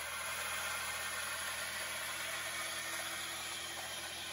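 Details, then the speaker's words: 2010 Toyota Corolla 1.8 L at cold idle on first morning start: harsh high screech and hiss with a rough growl from the serpentine belt area, something near breaking; worn water pump bearing and serpentine belt. "what the heck is that wow that was loud we got something really going on here something's getting ready to break in half sounds like we're gonna have to take off the serpentine belt and wiggle some pulleys and see what's going on"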